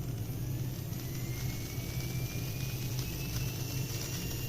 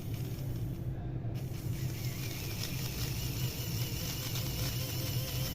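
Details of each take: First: Arduino Uno driving a DC motor by PWM, first of a 5 Hz vs 490 Hz test at equal duty cycle: thin whine climbs smoothly in pitch over a low hum, no jerks. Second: Small DC motor driven by an Arduino Uno at the same duty cycle, with PWM at 5 Hz instead of 490 Hz: buzzing and stuttering, jerky instead of smooth; PWM switching frequency set too low.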